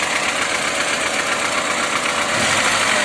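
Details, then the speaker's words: VAZ engine idling with a fast, busy rattle of about four knocks a second; removing the alternator belt silences it, so the alternator bearings are worn, not the engine. "Не поверите. Снимаем ремень генератора, и все становится на свои места. Как пчелка урчит. Генератор приплыл. Подшипнички там уже."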